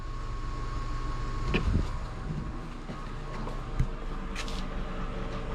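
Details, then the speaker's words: 1990 one-ton Ford Bronco project at key-on, ECU ground jumped so the fuel pump runs continuously, priming from a couple gallons in a near-empty tank: steady high whine near 1 kHz over a low rumble; the pump runs loud but works. "she's noisy hopefully there's enough really really got a couple gallons in the tank hopefully that's enough that it will pick up and Prime"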